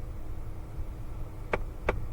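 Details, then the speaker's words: 2017 Ford Fiesta with AC on: sharp clicks about three times a second over the blower rush that appear when recirculation is switched on and stop when it is off; a faulty recirculation door actuator motor is clicking. "comes right back. So I know it's the recirculation actuator, meaning motor, little servo that opens and closes the door."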